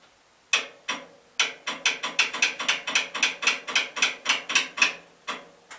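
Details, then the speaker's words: Gravely 8163-T tractor after oil leak seal and gasket repair, cranking in shop: rapid sharp solenoid clicks about four a second with no cranking, because the wire to the starter was left disconnected. "okay freeze frame and see if I can find out why the solenoids just clicking mouth kind of a biscuit okay not to salt make sure you hook up the wire that goes to the starter that's important"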